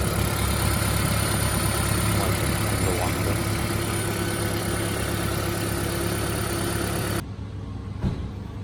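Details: 2010 Toyota Prius petrol engine idling with a faint, uneven knock about four times a second, then shutting off: engine knock.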